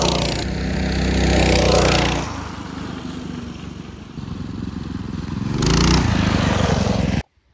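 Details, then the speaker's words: Mini bike small engine after torque converter (CVT) kit install replacing the chain clutch and jackshaft: revs up, settles and revs again with a smooth drone and no chain or clutch rattle; quieter, faster, normal running. "Sounds much better, doesn't it? Quieter, faster. It's all good."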